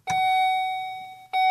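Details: 2011 Volvo XC60 on a battery charger, tried with the brake pressed: two clear mid-pitched chimes on pressing the start button, but the starter never turns. The key is locked in the ignition; the no-crank cause is still unknown.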